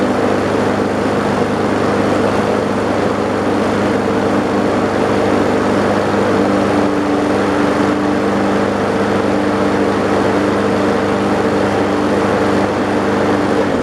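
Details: An old mower with water pouring out, after several more primes, catches and holds a steady buzzing drone after hard starting; water in the fuel is possible, not confirmed.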